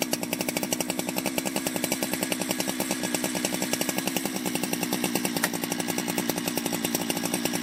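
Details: Ported Jonsered 2071 chainsaw after rework; it had run poorly, like an air leak with a hot case, and the crankshaft showed bluing and rubbing, but no air leaks were found and the crank was re-tightened. Fast, crisp, steady two-stroke firing with no misses or bogging: normal running.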